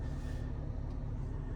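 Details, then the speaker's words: 2004 Toyota Highlander at idle after the passenger-side air mix servo fix: only a smooth, low engine rumble, with no relay-like clicking from under the dash. "I don't have any weird clicking noises. So I know this is a rare situation, but I just wanted to give this tip out there just for anyone that might be looking for this for an answer."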